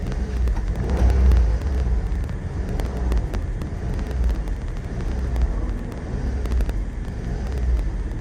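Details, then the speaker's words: Suzuki Wagon R RR DI MH21S small petrol engine just after ISCV replacement and battery reconnect: idles high, deep hum slowly rising and falling, still hunting. "果たして症状が治ってんのかどうかです。アイドリングは高いですね。"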